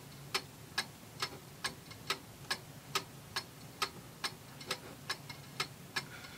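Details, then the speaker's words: Antique Seikosha pendulum wall clock after movement reassembly, being set in beat: steady ticking about two per second with slightly unequal tick-tock spacing, out of beat. "Okay, see, that went too much. That sounds pretty good. I'm an amateur. I'm not an expert, but that sounds pretty even."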